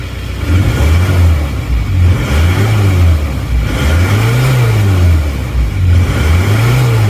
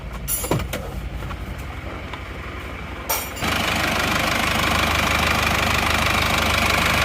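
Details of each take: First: Isuzu Panther diesel with replacement used block, previously rough, uneven and smoky: revs rise and fall with harsh, uneven clatter, rougher than other Panthers, engine shaking at low rpm, thick smoke. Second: Isuzu Panther diesel with replacement used block, warm at stable 85°C coolant temperature: after startup clatter settles into steady, even idle, slightly rough, no knocks, exhaust smoke now very thin; normal warm idle.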